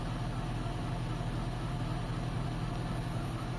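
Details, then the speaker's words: Toyota Corolla with previously unstable idle, A/C on after idle-up adjusted slightly higher: smooth low even drone, no surging or dips; normal idle after repair. "So tinaas ko konti mga boss. Tingnan natin doon sa loob. Ayan, tumaas siya ng konti mga bossing."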